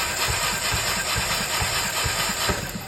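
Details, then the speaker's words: 2012 Alfa Romeo Giulietta 1.4 turbo petrol misfiring, compression test on last cylinder: starter cranking with uneven beat, one weak stroke, no catch; no compression from burnt valves, likely due to mileage and overheating. "Gördüğünüz gibi herhangi bir basınç veya hareketlilik yok araçta. Bu araçta tüp olmamasına rağmen e sibopları yanmış."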